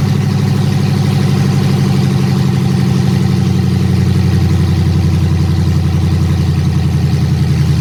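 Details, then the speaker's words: Dodge Hellcat Magnum supercharged V8 after TCM repair and new fuel line, open headers with no exhaust: deep loud even burble, steady beat, no knocks or misses; running smoothly and healthy. "she now runs and she will drive once well she does drive but um I don't have an exhaust on there it's just open headers"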